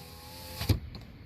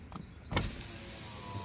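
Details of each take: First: 2018 Nissan Altima passenger front door, panel reinstalled, power lock tested: single soft, dull click, actuator moves slightly but lacks power to push or release the latch, which works manually; weak door lock actuator. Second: 2018 Nissan Altima passenger door, panel reinstalled, window tested: smooth, even motor hum with no grinding or clicks; normal power window operation.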